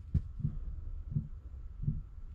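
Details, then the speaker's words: Chinese Webasto-type diesel parking heater fitted in a caravan, in start-up mode before warming up: soft low thuds roughly every 0.7 seconds over a quiet hum, the dosing pump ticking normally. "No i w tym momencie już jest Webasto w trybie odpalania Zanim się nagrzeje całe system wszystko chwilę potrwa"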